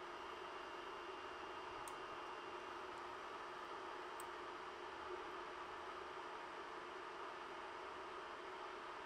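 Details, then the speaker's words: Ender 3 printing (SKR Mini E3 board, Noctua hotend and mainboard fans, stock PSU fan kicking in): soft, even whoosh of air with no rattle, ticking or bearing growl. Normal, quiet printing. "so the sound does increase a little during the printing process but it's still fairly quiet for the most part with ambient noise around you won't even notice it"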